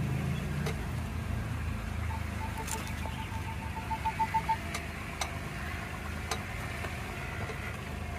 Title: What is causing this clicking noise coming from the rear wheel of my #tatamotors #tataaltroz